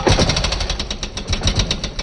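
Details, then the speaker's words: Honda 350X three-wheeler after a rebuild with a Wiseco piston kit, running after kick-starting: sharp metallic ticks about nine per second. Suspected clicking of the decompression cam, needing adjustment of the decompression mechanism or valve clearance. Not confirmed; engine shut off. "all right so i see an issue here guys we're gonna have to adjust either this or the valve clearance because uh you can see it here it's like this decompression cam's clicking"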